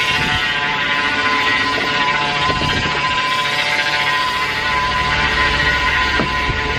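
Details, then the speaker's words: 2004 Chevy Avalanche after power steering cooler replacement: steady whining groan with gritty bubbling edge over idle; pump drawing air, reservoir nearly dry and milky-looking after fluid loss. "all that sound was actually I thought the reservoir was full and it was kind of like almost milky looking but I think it was just all of the air that was going through the pump"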